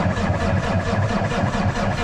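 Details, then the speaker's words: Custom Peterbilt with Cummins diesel sitting three days, in neutral after priming with the transfer pump: low, labored cranking pulsing about five times a second, never fires, not turning over fast enough; weak batteries. "never gonna fire it's not turning over fast enough yeah so there's that so i guess what we'll do is we'll get the battery box pulled off"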